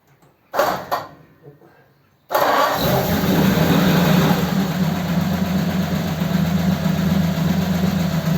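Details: Ford 8BA flathead V8 with Richard's Holley 94 carb on another truck, before a road test: a couple of cranking bursts, then it fires and settles to a steady, even low idle; starts well.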